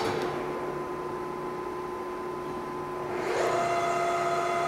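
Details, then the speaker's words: Lion 23MT lathe after first break-in oil change at 35 days: headstock gears running in reverse give a smooth, even hum with steady tones, pitch stepping cleanly at speed change, no knocks or grinding; normal. "reverse sounds good i think we're in good shape"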